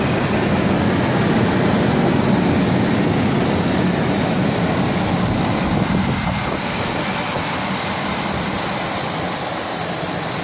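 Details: Ford Explorer petrol engine that had been overheating, running with a rough, rattly clatter under a dense, noisy drone from worn timing chains, which a mechanic judged not worth replacing.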